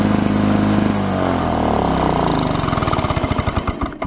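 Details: 1982 Lawnboy 5126 mower with F-380 OMC two-stroke engine, first start of 2017 outdoors, about 17°C, windy: crisp even buzz settling to a steady firing beat as it winds down, no misses or knocks; healthy.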